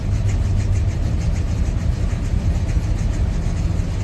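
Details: 1986 Chevrolet C10 idling on a cold start: uneven, lumpy beat with a loose, unsteady low rumble; rough cold-start idle, cause not evident.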